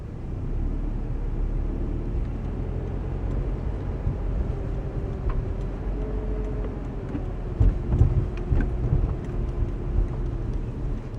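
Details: Scion FRS brakes, heard since the first day of ownership and worse in winter: while driving and easing on and off the brakes, a faint steady low-pitched moan rises over road rumble and fades as the brake eases.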